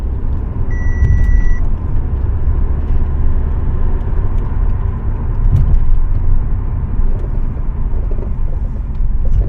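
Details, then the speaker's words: 15-year-old Audi A4, 83,000 km, driving over a gentle slope: heavy road rumble with scattered clicks and chattering burst, creaking when cornering; worn, cracked straight and curved control arm rubber bushings. "Turning around the corner will also have creaking and creaking thoughts."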